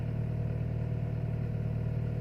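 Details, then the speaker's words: Timor DOHC car, cold engine in the morning: steady even low hum at raised idle around 1000–1500 rpm, no knocks or misses; normal cold fast idle, settles near 800 rpm when hot. "Rp1.500 bisa juga 1200 lebihnya pada saat mesin belum mencapai suhu maksimal RPM akan bertahan di setiap lebih"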